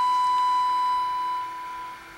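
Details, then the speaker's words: Baylor 6 radio after electrolytic capacitor replacement, 455 kHz IF signal reduced to -17 dBm: clean steady mid-pitched tone, barely audible, then cuts off; IF stage passing signal. "you can still hear it but just barely so basically what i'm saying is that the radio part is working and that means that uh that part that much of it is working so"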